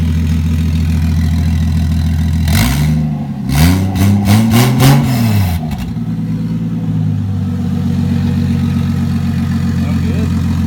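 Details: Toyota 2JZ with 70mm turbo, first start-up (initially run about a minute without oil): steady idle with a few clean throttle blips rising and falling, then even idle; nothing abnormal.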